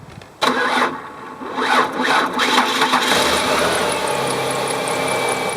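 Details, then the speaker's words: Car that would not start: slow, dragging crank labouring a few seconds before firing on a battery jumper and settling to idle; weak battery suspected, no battery light while running, store test pending. "because the car started up when I used the battery jumper you could hear it actually still wagged but then finally there's enough juice in that jumper to get started"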